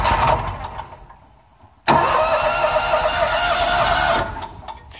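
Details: John Deere Z-Trak mower, which would not start because of a parking brake code (2 with 5 blinks), after the parking brake was tightened: the starter catches quickly and the engine fires and runs evenly with a little choke before shutdown; starts normally.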